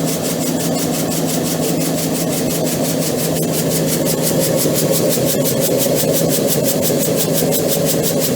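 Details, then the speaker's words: EPKU-1.7 compressor block rebuilt for cylinder knock and oil throw, tested and ready: steady even pumping near two strokes a second, crisp regular valve ticks, no knocking; healthy running. "Значить, дивіться, ваш компресор вже готовий, випробуваний, зібраний та готовий до відправки."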